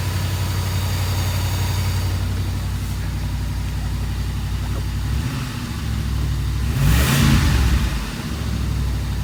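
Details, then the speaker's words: 1982 Mercedes 380SL: steady fast idle around 1500 rpm, well above normal after a brief blip, never dropping back; high idle. "I'm sure you noticed from the video that the Benz is running good but it's idling at 1500 RPM which is wrong"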